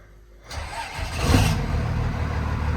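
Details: Older diesel truck started right after a kill switch was installed, with the check engine light gone out: brief crank, then it catches cleanly and settles into a steady, even low idle with no misses or knocks.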